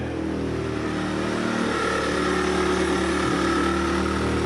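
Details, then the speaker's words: 1996 Mazda MX-5 Miata with Honda K24Z3 swap, first start, throttle butterfly opened slightly: even smooth idle around 1200 rpm and dropping a little, no knocks or misses; running well. "that seems real positive 20 yeah 1200 rpm and dropping a little bit it's it it seems like it's running pretty good"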